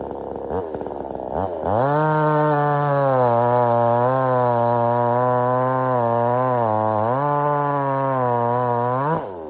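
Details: Budget Temu chainsaw shortening a log, possibly rotted in the middle: steady high scream held evenly through the cut, dipping slightly under load; cuts easily, starts easy and runs strong, normal.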